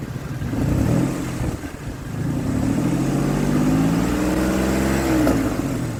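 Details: 2003 Ford Explorer that failed inspection with a misfire, after replacing an ignition coil: revs rise and fall cleanly with an even firing beat and no stumbles, running smoother than before and smoothing out further under load.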